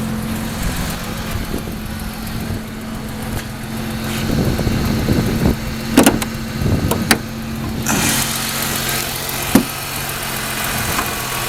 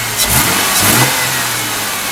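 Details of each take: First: 2001 Ford Mustang 3.8 V6 with sputtering/misfire on sudden throttle, new EGR valve, wires and plugs: at idle a steady even low hum with no misses or knocks, sounding fine. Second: 2001 Ford Mustang 3.8 with new EGR valve, wires and plugs and old coil pack: fine on idle and gradual throttle, but sudden throttle blips make the revs stumble and the engine shake, a misfire.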